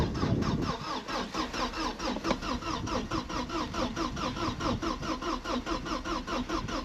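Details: Vauxhall Cavalier GLS 2.0 16V Ecotec X20XEV, long seized engine freed, new fuel pump relay, substitute ECU; steady starter churn about two compressions a second, never catches; cranks but no spark, still immobilised.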